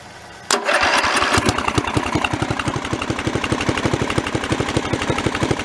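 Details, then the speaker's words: Mid-1980s Snapper rear-engine rider with an 11 hp Briggs & Stratton industrial L-head, run after four years outdoors and a corroded carburetor clean-up: catches at once and holds a steady, even popping beat with no smoke; normal idle, though the ignition pops and spits. "amazing actually it runs pretty good i don't see any stuff"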